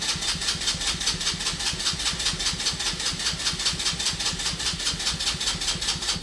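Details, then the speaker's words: Abandoned go-kart small single-cylinder, spark confirmed, running on starting fluid: quick fairly regular popping that fades as it fails to keep running; owner suspects water in the fuel, plans to drain tank. ">> Ah, good old starring fluid. >> [snorts] >> Oh, there it goes. All right. Well, we know it runs. Um, sounded pretty good."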